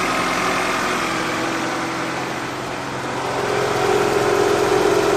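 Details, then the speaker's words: Honda CR-V with manual clutch just started after major service (oil leaks fixed, valves adjusted, coolant hoses replaced), warning lights off; a quiet, even petrol idle with a steady beat, no ticking or knocking. Normal idle. "it's nice and quiet all the warning lights are off let's go listen to it"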